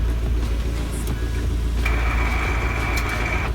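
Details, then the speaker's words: Kyle's car, manual gearbox, at idle in a garage: putting it in gear with the clutch in brings a harsh high grinding screech under two seconds that stops instantly on releasing the clutch; gears hard to engage, scraping between gears; cause unconfirmed. "I start the car I put it in gear and I hear this god-awful grinding sound stops instantly that I let off the clutch"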